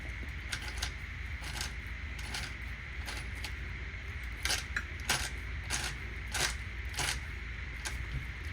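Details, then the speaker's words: Traxxas Revo 2.5 nitro RC truck being rebuilt, gears turned slowly by hand: irregular gritty clicks and crunches, catching at points; owner suspects the gearbox needs rebuilding, cause not yet known. "But I know for a fact that I think I've got to rebuild this gearbox somehow. Only because it's very crunchy in there."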